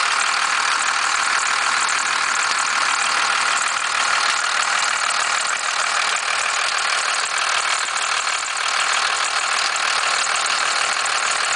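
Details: 1991.5 First Gen Cummins 12-valve diesel, cold start at about -10, idle: hard, uneven rattling knock at about three per second, with slight squealing; owner cannot pinpoint where it comes from.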